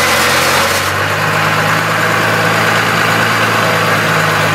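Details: 1998 12-valve Cummins diesel, 5-speed, mic zip-tied under truck: dense buzzy rattle over low drone when lugging at 950-1250 rpm in 4th and power-braking in 3rd; cause unknown.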